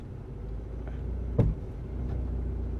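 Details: Ford Mondeo Mk3 misfiring on cylinders 1 and 4, hard to start, owner suspects low compression; reversing with slightly seized brakes, a low uneven rumble wavers and bogs near stalling, a misfire under load.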